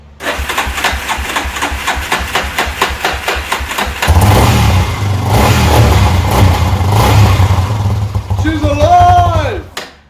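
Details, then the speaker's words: 1998 Yamaha Warrior quad had no compression because its spark plug was loose in the head. After fitting the correct tightened NGK plug it cranks with steady thumps, catches and runs strong and even through throttle blips. Normal clean start. "all the compression is back and it started right up which is kind of funny take a look"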